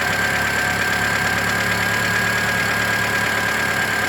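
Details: 2008 Mitsubishi Lancer at idle: light, even tick once per crankshaft revolution, not per cylinder firing, from the belt side of the engine. Owner first suspected an exhaust leak; cause unknown.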